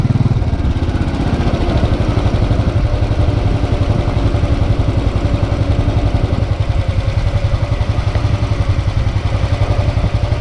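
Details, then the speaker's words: Newly replaced engine (starter, internals, throttle body and fuel injector also replaced under dealership repair), hot idle after a short ride. An even steady thump at about 220 beats a minute with no knocking or valve clatter; normal hot idle. "as you can hear nothing no have little choices whatsoever valve boys is quiet"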